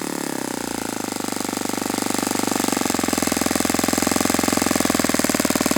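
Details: Saito FA-91S model four-stroke glow engine on test stand, cool 60°F day, now on Fox Miracle glow plug after earlier rough start: crisp, even beat rising smoothly in speed with no misses or stumbles; beautiful, normal running.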